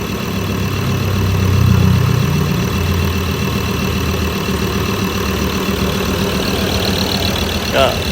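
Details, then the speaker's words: Ford Everest 3.2 diesel with brand-new replacement engine (old one wrecked), idling during run-in after first start, no revving; steady low even beat with no knocks or rattles; normal idle. "ได้ยินเสียงกันแล้วนะฮะสำหรับFordเเครื่องยนต์3.2เปลี่ยนเครื่องยนต์ใหม่นะครับ"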